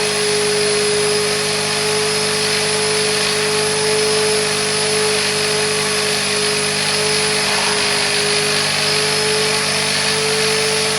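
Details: Wet-vacuum carpet cleaner used on a 2006 Vauxhall Corsa C 1.0 interior: steady high motor whine with hissy airflow rush and a strained note, which means the dirty-water recovery tank is full and needs emptying.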